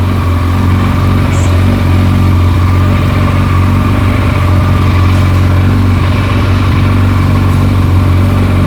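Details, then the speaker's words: Kawasaki ZZR1400, about 28,900 km, after repairing a loud clutch-side rattle linked to a dented clutch basket: steady, even idle with a smooth low beat and no rattle or ticking; noise gone, normal idle. "is gone she's gone the noise is she's gone Amazing this this is so easy"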